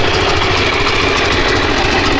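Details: Freshly restored and rebuilt Honda XR600R single (one owner, 7,400 km, had low compression), started first kick: steady thumping idle with even beat, no knocks or rattles; healthy.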